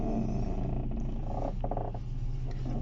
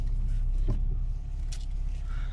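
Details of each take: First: Audi 80 with a creak when turning the steering wheel, mainly to the left, from the driver-side spring area: groaning, growl-like creaks over a low engine hum, worsening over time. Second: Audi 80 after reassembling front struts to cure a creak when steering (mainly left, driver side springs): engine idling while steering, no creaks, only faint power steering pump whine.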